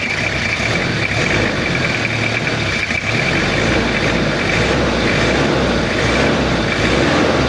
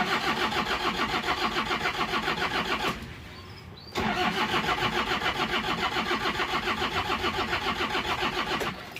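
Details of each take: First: Toyota Kijang diesel after cylinder head repair for overheating and coolant overflow, injection pump re-set, idling cold before operating temperature: slightly rough but even, steady, uniform 1-2-3-4 clatter, no misses; healthy. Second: Toyota Kijang diesel with an overheating history, thermostat removed, after head service: long, steady cranking near 210 per minute, a pause, then more cranking without catching. Starts harder than normal because the glow plugs get no current.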